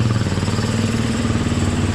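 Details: KTM 350 EXC-F after battery replacement fixed no-start (starter had been suspected): quick even single-cylinder thump, steady, no misses, ticks or clatter; healthy normal idle.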